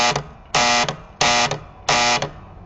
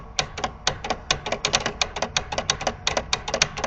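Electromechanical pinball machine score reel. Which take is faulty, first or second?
first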